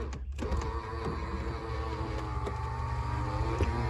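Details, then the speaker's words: Cheap non-running Pontiac Fiero GT, with power restored to dash: faint steady electric motor whine with a few clicks, labouring rather than spinning up; AC blower trying to run, battery seems weak. "The AC is trying to work."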